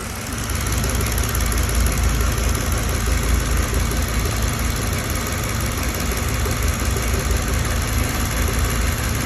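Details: Mercedes-Benz W211 with a recurring engine misfire that came back 2.5 months after another workshop's repair, which included a new ECU: low, uneven idle with an irregular stumble in the exhaust beat about every half second. Cause not yet found.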